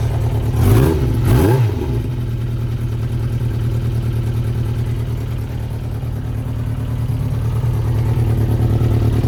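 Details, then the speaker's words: 1992 Yamaha XJ600 Seca II after carburetor work: after a couple of blips it settles into a lumpy, uneven idle with one cylinder weak. Number two reads 180 against 420–440 for the others. "So, what is wrong with number two? Number two sounds like it's off."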